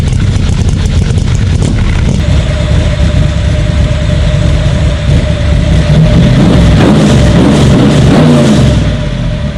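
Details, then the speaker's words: 427 Cobra V8 running after rewiring and starter failure repair: loud, deep rumble settling into a steady, even lope with a slight rise in revs; runs cleanly with no knocks. "That thing runs, crank it up. Man, I just love the way it sounds."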